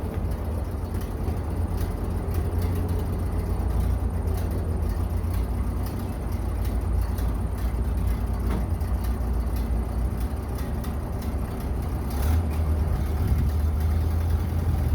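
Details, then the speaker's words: 1930 Ford Model A barn find stored 40+ years, after a head gasket replacement, new wiring harness and oil pan cleaning: a steady, even low four-cylinder rumble with no knocks or misses. It runs healthy. "finally out 40 years way out and running"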